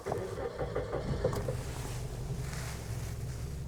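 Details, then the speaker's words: Nissan Pixo (Suzuki Alto twin) small petrol engine idling in Park before spark plug and air filter change; uneven, lumpy low throb, shakes excessively in Neutral; rough idle, cause not yet found. "Şimdi biz bunu N'ye aldığımızda aracımız böyle aşırı derecede titriyor. Biz bu titremeyi gidermeye çalışacağız."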